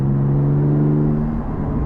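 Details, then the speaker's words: Porsche 718 GT4 with aftermarket Soul exhaust, valves disconnected, interior at about 50 mph: deep low droning hum that eases off after a second; intermittent drone, owner thinks the valves may be getting in the way. "hear that weird like uh almost sounds like the valves are getting in the way there"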